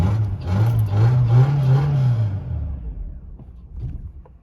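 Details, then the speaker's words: 1993 Mercedes 220CE W124 coupe, 2.2 M111 engine, after replacing ignition leads: revs with a wavering uneven drone then sags and fades unsteadily; still running rough, cause not found. "[Music] buger still don't think's that happy something's not quite right still"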